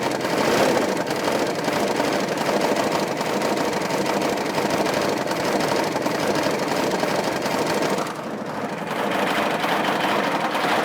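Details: GM K3500 6.5 diesel idling with nobody touching the throttle: a hard, clattery knock and rattle with surging. It makes 45 psi oil pressure on the starter, puffs smoke, has blow-by, and the oil level rises. Owner suspects a cracked piston, spun bearing or head gasket.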